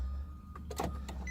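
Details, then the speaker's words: Car at a salvage auction: the dash lights up and the key brings a few clicks, but the starter never turns and the engine does nothing. Dead battery suspected. "Comes on, but other than that, nothing. It does a click. It sounds like it wants to start,"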